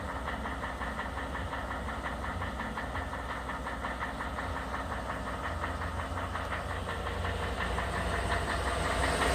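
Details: 2011 Ford F150 Coyote 5.0 with 130,000 miles at cold idle: a rapid, steady knock from long-standing piston slap on the number 8 piston; it runs great otherwise, and the dealer couldn't duplicate it.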